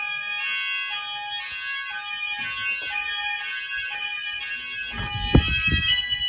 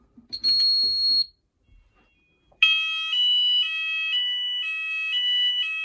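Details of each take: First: Apollo XP95/Discovery house fire alarm Symphony sounder triggered by an optical smoke detector test in a rear bedroom. Repeating alarm tone with slight rough crackle, then handling bangs; the sounder has bad solder connections. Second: Apollo XP95/Discovery addressable house fire alarm covering the upstairs, on a full evacuate signal with one device tested. A loud two-tone warbling alarm cycles about twice a second.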